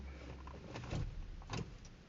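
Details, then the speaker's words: 2001 Lexus GS300 after water pump replacement and 2 months sitting; it locked up while cranking slowly on a bad battery. With a new battery, the key gives only a short dull click, no crank. Owner believes the engine is seized; a breaker bar didn't free it; cause unconfirmed. "But now I fixed it, got the water pump changed, and now the engine is ceased, and like it makes a click noise."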